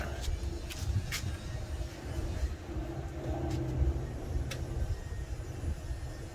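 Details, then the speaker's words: 1974 VW Baja air-cooled engine with a new fuel filter and battery, with fuel poured into the carburetor bowl. It fires and holds a low, lumpy rumble with a few light ticks. The engine starts and runs. "I guess it runs. Well, I guess that answers that question. It starts now."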